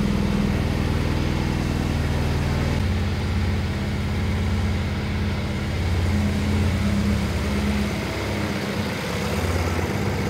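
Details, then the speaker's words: BMW E92 320i with freshly rebuilt engine, first start, M delete so a bit louder than usual; steady even idle with deep exhaust drone, no misses or knocks; normal idle, later revs jumped and no-crank occurred. "from what I saw this car has m delete and you can hear it it's a bit louder than usual sounds decent though"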